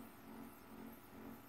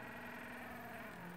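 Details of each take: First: Stepper motor on good THB6064AH driver chip, current tuned to the load: quiet steady low hum with faint even tone, no knocking or stutter; normal smooth running. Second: Stepper motor on THB6064AH driver chip from regular supplier, with motion generator, current-adjust screw turned up: steady harsh buzzing hum with several fixed tones, no rhythm; loud stepper at high driver current, risk of overheating.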